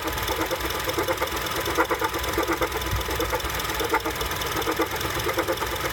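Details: 2007 Honda CR-V, warm engine idling with AC off: uneven clunking, one or two dull knocks a second; the sound goes away when the AC turns on.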